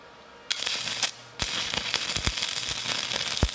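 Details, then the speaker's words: Stick welding with a Hitbox TIG 200 using a 308 stainless rod: sharp irregular crackle and pops with bright sizzle, a steady even arc whose crackling signals a good weld; normal stick welding arc. "I'll go ahead now and start on this hold that's used in the 308 didn't stick on the back but I got over here real good and I could hear that crackling tells me it's good"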